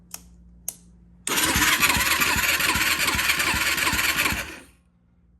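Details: 2004 Yamaha YFZ450 quad, bought as project, gauge showing zero compression: starter spins the engine evenly about four beats a second for around three seconds without firing; cranks but won't start, carburetor cleaning suspected.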